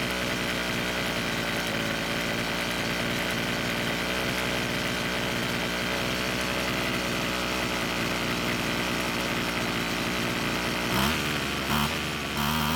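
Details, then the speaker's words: Weed Eater brand two-stroke string trimmer, rebuilt and obtained free, idling after the L screw was turned a quarter turn counterclockwise to add idle fuel; even, buzzy idle holds steady without hunting or dying, so the richer idle mixture worked. "well we got it to idle a lot longer this time which meant that adding fuel at idle speed worked great"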